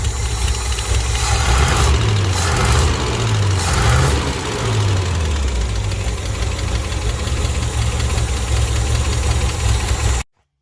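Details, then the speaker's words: 1967 International 1200 truck at idle: low, uneven idle with light, quick lifter clatter on top; donut gasket possibly still leaking. "sounds a little better now you can really hear the lifters just clattering it's great"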